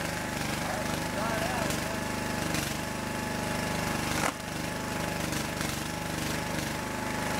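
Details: Homemade wood splitter's small gas engine at its start-up test after fuel system, wiring and hydraulic repairs and a two-gallon hydraulic fluid refill; it chugs at a steady fast beat with no misses or knocks, running smooth and healthy.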